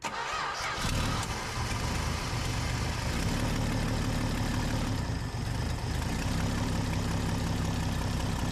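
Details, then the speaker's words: 1966 Dodge Dart V8, just fitted with a new flat-tappet camshaft, cranks and catches into a slow, deep, slightly uneven idle held up with light throttle; idle speed is set too low, possibly because the engine is cold. "sounds good but the idle's too low I've got to keep my foot on the gas if I do this it might be just cuz it's cold but I can feel it's like idling too slow"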